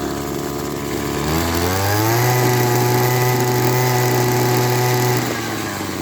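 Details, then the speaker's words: Echo SRM-200BE string trimmer two-stroke, freshly cleaned carburetor, warm after running a few minutes: at part throttle it climbs partway then holds a labored, uneven drone before dropping back, bogging; owner suspects too much fuel. "that's not Full Throttle so it seemed like it was getting a bit too much gasoline"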